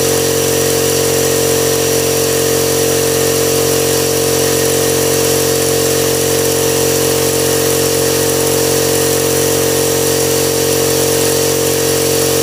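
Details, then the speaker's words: Husky five-gallon air compressor after replacing the pressure switch (it previously ran without cutting off): steady electric motor hum with an even pump drone, no stalling; now running normally. "oh yeah so that's fix cheap compressor got fixed and this is what it is five gallon"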